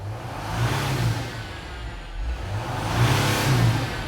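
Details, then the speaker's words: Mercedes Sprinter diesel van that loses power and goes into limp mode: each throttle blip brings a faint air hiss from under the hood over the rev, dying back as revs drop; boost leak. "There is a hissing sound coming from under the hood."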